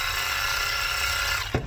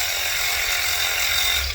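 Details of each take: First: Matco Infinium MCL1238R 3/8 12V electric ratchet, over 10 years old: motor whirs with thin, strained tone for 1.5 seconds then clunks to a stop; worn RS550 motor lacking power, sometimes smokes, to be replaced. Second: Matco Infinium MCL1238R 12V 3/8 electric ratchet, over 10 years old and previously slow, weak and smoking, after a replacement RS550 motor, on a dead battery: a steady high whir, briefly stopped and restarted, even but soft; normal running.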